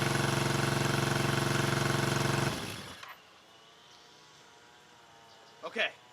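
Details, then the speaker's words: 1974 Honda CB350F four-cylinder, long-stored, idling: lumpy uneven thumping before it dies, only cylinders 2 and 4 firing, 1 and 3 dead; owner suspects a fuel problem rather than ignition, not confirmed. "I'm only running on cylinders four and two and one and three are not firing which means it should be a fuel thing"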